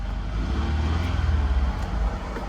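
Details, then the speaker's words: Kia Sorento after starter replacement, previously only ticking when trying to start; now catches cleanly and settles into a steady, even run with no ticking, normal start. "Okay, it was ticking before, so I'm gonna put this here. What does that sound like? Car started."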